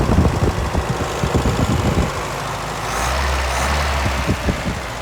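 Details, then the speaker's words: 1983 Toyota pickup, manual, cold start idle: worn throwout (clutch release) bearing gives uneven rattly bursts then a steady low hum, and the noise goes away when the clutch pedal is depressed. "And you can hear that throwout bearing, because when I depress the clutch, it goes away. That's cold start."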